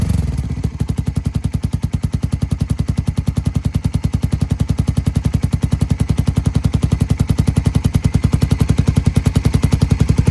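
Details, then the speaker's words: Suzuki Satria fuel-injected motorcycle with 3-setting DB killer used over 2 years, valve open: low exhaust thump 3–4 beats a second with metallic tick from plate wobbling in exhaust flow; disappears when held by hand. "Lihat, saat terkena angin, benda ini akan bergoyang seperti ini. Nah, kalau Anda dengarkan, saat saya memegangnya, suaranya menghilang."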